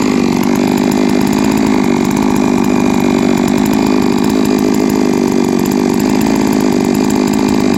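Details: Three-year-old Huztl-based MS660/066 mill chainsaw, ported 56mm cylinder, after in-field clutch replacement: steady strong high-revving two-stroke howl holding even pitch without stumbles or surging; running cleanly.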